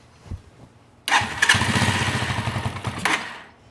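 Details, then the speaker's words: Carbureted Janus 250 motorcycle after a small turn-in of the idle screw: fires and chugs with a slow, lazy beat for about two seconds before fading; idle still too low, target 1500–1800 rpm (about 1600), another eighth-turn needed. "it's not quite there yet so I'm going to turn it up just a little bit more now they're about eighth of a turn"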